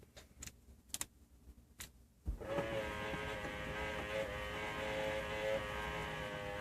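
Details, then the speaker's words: Aftermarket (Metra) power antenna motor, heard inside through the panel with radio on: after a few clicks a loud steady whirring whine holds its pitch; runs fast but far louder than stock. "So now you can hear the antenna motor through the panel, through everything. You'll hear how much louder it is."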